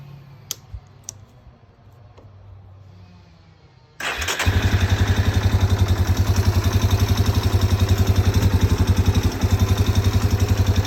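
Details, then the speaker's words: 1998 Yamaha Big Bear 4x4 350 ATV, after a carb clean, new fuel line and fuel filter, on reserve, fixing backfiring and no top end: the single starts straight into an even thumping idle of about 220 beats a minute, running smoothly. "it's running pretty smooth"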